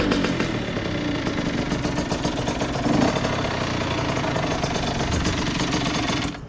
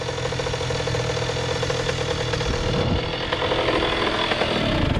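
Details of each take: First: 2001 Honda CR80 two-stroke with stock exhaust, earlier knocking noise: slow, uneven popping that stumbles and cuts out; idle speed set too low, idle screw turned up by hand. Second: 2001 Honda CR80 two-stroke with stock exhaust, previously making a knocking, rough noise: crisp, rapid idle holding an even beat with no knock standing out. The engine sounds healthy, though the owner still asks whether it needs a rebuild.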